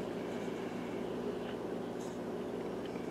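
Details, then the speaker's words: Philco 46-200 tube radio, hot chassis, after new filter capacitors and a new power cord, volume all the way up: a steady low mains hum under a constant hiss, with no station coming through. Not even an in-house transmitter is received. "It should be picking up my in-house transmitter at least. I don't know why it's not."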